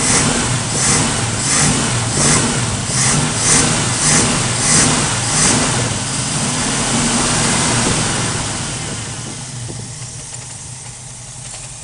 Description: You can see the misfire right off idle, and hear it constantly.